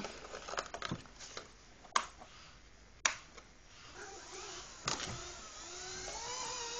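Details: Blade mCP X micro helicopter in flight, wobbling and unstable: thin high rotor whine with irregular sharp clacks and rattles, pitch wandering; abnormal noise and vibration, something loose in rotor head or drivetrain suspected, unconfirmed.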